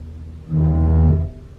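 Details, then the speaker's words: 2021 Toyota RAV4 Prime SE in EV mode, Auto climate with AC off, about 64°F outside: a low horn-like heat pump drone rises suddenly, holds briefly then cuts off; owner says it is worse the colder it is, cause unknown. "so I mean the colder it is the worse the sound is but you've heard how loud that was it was really it was like two seconds but it was pretty loud this time"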